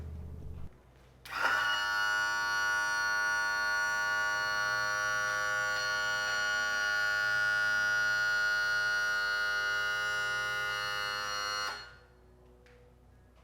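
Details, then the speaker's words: 1991 Johnson 50 hp outboard, hydraulic power trim/tilt tested with new switch: electric pump hums at steady even pitch about ten seconds, starts and stops cleanly; power trim working normally. "all right so yeah it's working at least i'm gonna go ahead and fill it real quick and we'll test it"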